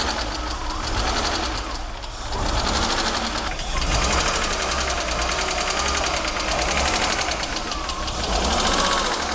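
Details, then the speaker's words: BMW E36 engine's first run after two years standing, air mass sensor not connected, no coolant yet: irregular lumpy beat with shifting tone, struggling to settle into idle; owner blames long standing or missing air mass sensor. "Maybe sounds a bit rough but 2 years of standing feels like"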